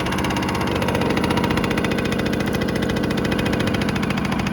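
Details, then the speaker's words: 1987 Yamaha YSR50 two-stroke, cold start after sitting a long while, fuel on and choke applied; fires and settles into a fast, steady, even idle with no misses or surging. Bike has new crank seals, premix conversion, cleaned carburetor. "So let's turn on the gas, give it some choke, and see if this thing fires up. It's been a while. There we go."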